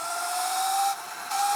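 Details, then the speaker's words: Sur Ron with a KO factory-spec motor X ERTBAC4K, tuned to 370 phase amps and 8 kW max, ridden under throttle: a steady rising whine drops out for about a third of a second, then picks back up. The motor stutters under throttle but otherwise runs well. "didn't like that. Hear it stutter, but it runs good."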